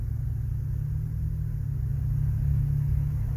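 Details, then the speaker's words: 1999-2006 Chevy/GMC Suburban after its catalytic converter was replaced to cure a rattle: deep, even idle in drive, with the metallic rattle now gone and the exhaust quiet. "we're at idle right now we're chilling no more rattle literally when i'm on drive and i'll be sitting here none of that right now it's quiet"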